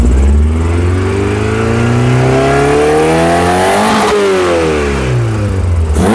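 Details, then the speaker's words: Skoda 120 16V (Rover K-series, CANEMS), right after throttle position sensor calibration: clean rev, then revs sag slowly for nearly two seconds before settling; lazy idle return, but no longer misfiring; cause not yet pinned down. "still a bit lazy getting back to idle but that's not firing on doing all things wrong anymore"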